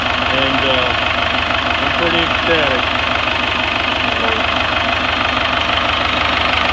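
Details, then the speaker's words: Rebuilt 4BT Cummins diesel in a Chevy K30 crew cab dually 4x4 with NV4500, first test run for a few minutes without water pump: steady even diesel clatter at idle, about three beats a second, no misses or knocks; runs clean and healthy. "I can't believe how well it runs it runs better than what I've got here"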